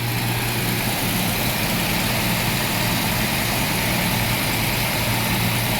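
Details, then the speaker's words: Jaguar XJ-S V12 HE, off the road almost 20 years, plug leads confirmed seated: lumpy idle heard at the exhaust. The A bank (right/driver side) is fine, the B bank is clearly misfiring. The owner suspects an injector, distributor, coil or amplifier. "right driver side exhaust a bank let's go to b bank rubbish that's not right at all"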